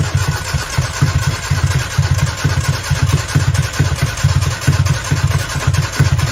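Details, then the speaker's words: 1995 Nissan truck with carburetor, new wires, plugs and battery, firing order checked: starter churns steadily about two compressions a second with no catch; cranks but no start, owner suspects fuel issue. "okay so that's how it sounds it sounds like it's about to fire up um so it may be a fuel issue"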